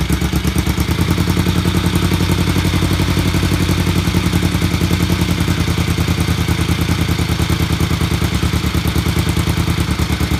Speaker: okay so after um a bit more running and uh tuning then as you heard we've got it um beginning to uh to tick over um that was idling at about a thousand revs not too bad